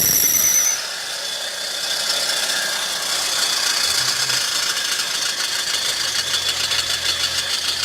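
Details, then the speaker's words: Car engine running with a loud, high-pitched rattling whir. The ignition switch is stuck, keeping the starter motor engaged; the fix is replacing the ignition switch. "y la falla que presenta este auto es el interruptor de encendido en inglés es llamado ignición switch dicho interruptor se quedó pegado haciendo que el motor de arranque se quede prendido provocando que haga el ruido que escucharon"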